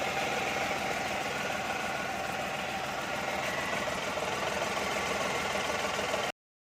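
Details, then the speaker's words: Renault Kwid idling, customer suspected clutch release bearing: even idle with a constant rough hum and faint ringing whir that doesn't change; diagnosis found the alternator bearing noisy; alternator bearing noise. "Customer की शिकायत थी है इसका clutch बरिंग खराब है और हमने इसका डाग नस करा इसको जांचा तो इसमें भाई हमें प्रॉब्लम पता चला इसका जो ये अल्टरनेटर का बेयरिंग है इसमें साउंड [प्रशंसा] है"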